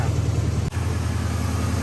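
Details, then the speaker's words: Gen1 Ford Raptor V8 idling smooth with a steady deep rumble and no popping, after replacing bad coil pack (rear) and spark plugs that had caused misfire popping; some lower plugs not yet changed. "I don't hear popping I don't hear popping"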